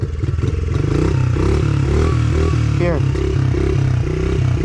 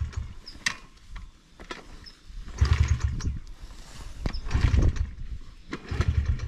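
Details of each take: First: Brand new Honda 50cc motorbike after kick-starting with no throttle applied: small single catches cleanly and settles into an even, steady low putter with no misses, a healthy normal idle. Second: Brand new Honda 50cc motorbike, fuel on and choke on, kick-started repeatedly: a few sputtering pops, catches briefly then dies every time, never idling; flooding or throttle misuse while kicking suspected, not confirmed.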